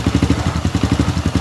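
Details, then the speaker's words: Honda Supra Fit New motorcycle after replacing the loose cam chain and fitting the timing chain guide, before oil top-up: steady low idle thumps, no rattle or ticking; harsh left-side engine noise is now gone. "Lihat, ini sudah berbeda dari sebelumnya, kawan, ya. Sebelumnya, bunyinya berisik sekali. Nah, sekarang sudah diperbaiki, kawan."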